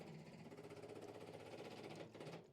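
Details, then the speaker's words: 1953 Chevy 3100 truck, 235 inline-six: fuel pump run with line off into a bottle gives a steady, rapid, even buzzing chatter; pump delivers plenty of fuel, so the carburetor is blamed for the running problem. "pushing plenty of fuel so carburetor is the issue"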